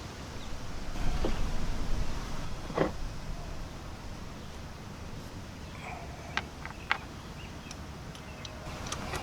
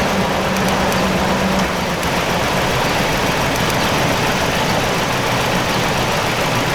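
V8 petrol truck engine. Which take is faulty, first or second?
second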